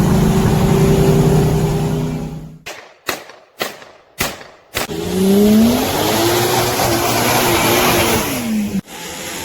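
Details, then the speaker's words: 2015 Mercedes CLA250, engine revving: rough gritty whirring from the front belt area by the passenger wheel, rising and falling with revs; owner hoped pulley or tensioner, found worn water pump bearing grinding. "the problem we're experiencing is pretty significant noise coming out of this space here in the front section by the passenger wheel and uh hoping it might be just a pulley or a tensioner something like that"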